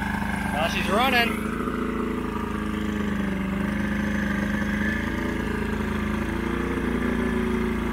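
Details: Old 90hp Johnson two-stroke outboard on a 1987 Crestliner, sat about a year, fresh plugs: buzzy, slightly uneven wavering idle; rough running, needs carb work, engine getting pretty hot.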